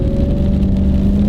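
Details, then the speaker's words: Older Lincoln Navigator, a heavy SUV converted to regular shocks and struts, given a little gas: smooth, even V8 note pulling steadily with no knocks, misses or whine; the engine sounds as healthy as new. "Now, you hear that engine? Doesn't sound any different than it did today. It came off the showroom floor."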